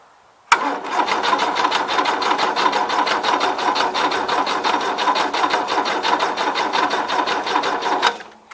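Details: 1977 Gravely GMT 900 tractor in neutral on jump box, after cleaning distributor cap and rotor contacts; quick even starter cranking for about eight seconds without firing: cranks but won't start, coil sparks, rotor suspected.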